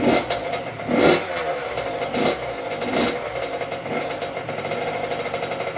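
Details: 2006 Honda CR85 two-stroke after Wiseco rebuild (new crank, piston, seals, bearings, gaskets), first start on choke warming up during break-in heat cycle: crisp, even crackle with light blips, no rattle or knock; normal idle.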